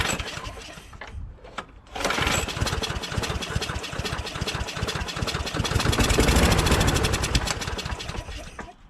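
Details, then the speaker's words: John Deere JS26 mower with a Briggs Quantum engine, out of storage, starting on spray in the intake manifold: fires and runs roughly for several seconds, then dies. Gelled old gas was found in the carburetor bowl. "and we try to start it and it doesn't stay running it only only stays running on its the"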